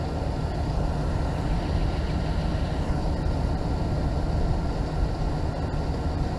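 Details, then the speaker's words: Dodge Ram 5.2 V8 after fixing the exhaust manifold leak and replacing the studs with bolts: steady, even low rumble at idle with no ticking or puffing; the exhaust is now sealed. "So as you can tell, we got the truck running with no more exhaust leaks."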